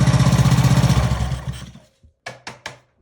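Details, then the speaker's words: Old Ryobi pressure washer, previously seized, freed by tapping with a hammer, reassembled and started on choke: small engine catches and chugs at a steady, even four beats a second, then winds down with a few knocks; it starts and runs cleanly. "That's how you get an old Ryobi power washer to start running"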